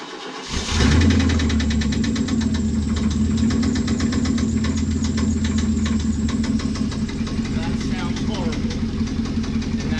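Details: Chevy Blazer: cranks and catches, then runs with an uneven, lumpy beat and a ragged idle that never settles; clearly running rough, judged horrible.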